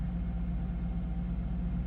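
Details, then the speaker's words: 2013 Subaru Impreza with replacement engine at idle: steady, even low rumble with no knocks or misses, running smoothly, though check engine light is on with code P0366 (camshaft position sensor) despite both sensors changed; transmission fluid low. "It's running pretty smooth, but you can see we've got our check engine light on"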